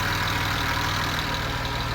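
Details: BMW E34 M50B20 at warm idle: fast, light top-end ticking keeps pace with engine speed. Owner suspects hydraulic lifters or injectors, unconfirmed, and plans an oil pressure measurement.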